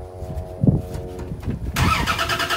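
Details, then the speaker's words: Old Dodge Dakota that sat seven years: brief starter cranking with no firing; no fuel pressure, pump silent and seemingly locked, trying to turn but not turning. Crank no start from failed fuel pump. "the pump's locked up it's like it's trying to turn but it ain't turning"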